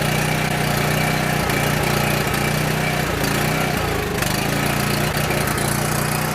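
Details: Coleman Powermate 6560 generator with a recently cleaned carburetor, producing low power; fails on half choke and runs on full choke with a loud, lumpy, hunting beat and brief stumbles; runs only on full choke.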